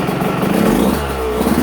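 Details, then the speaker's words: Two-stroke on 24:1 premix (5 oz oil per gallon), one more heat cycle: crisp rev climbing cleanly with no rattle or misfire; owner says it runs clean and crisp. "It's such a good clean running bike. I'm always impressed with how clean this bike runs. Even with 24 over one on the mixture."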